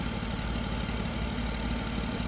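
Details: 2009 Jeep Wrangler Unlimited Sahara just restarted after thermostat removal, coolant being added and checked for leaks: smooth steady low idle rumble with no misses, knocks or ticks; engine idling normally.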